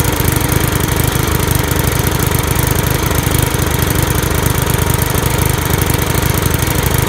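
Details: Briggs and Stratton single-cylinder lawn mower engine after head removed, head gasket refitted and carburetor clean: runs steady and even, regular firing about three and a half per second, no misses or knocks; healthy.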